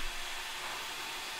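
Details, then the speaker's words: Acer Aspire 3 A315-21 laptop sitting idle with the cooling fan ramping to a loud steady jet-like whoosh, about 34 dB at the machine against a 23 dB room; excessive cooling fan noise, fix could be limiting the CPU. "if you hear the jet noise it kind of sounds like a jet ramping up to take off like the turbines are spinning and and ramping up for takeoff"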